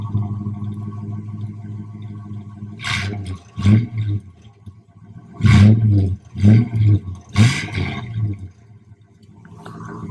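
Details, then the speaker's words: 1966 Plymouth Fury II bought from Copart, after charging-system, tire and brake work, recorded at the exhaust; a low, even idle burble with a few throttle blips that settle back smoothly. Clean, healthy running. "Right. Oh, wow. She sounds good, guys. She sounds real good."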